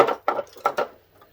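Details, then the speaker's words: Mr. Heater Portable Buddy radiant propane heater shaken by hand: three quick loose clattering rattles then a dull thump; normal tip-over safety switch moving, as the manual warns. "That's the tip over safety. And they do say that's what the cover sheet was about. It said when you move around like that, you'll feel something rattling or hear it rattling. Well, it's the tip over safety."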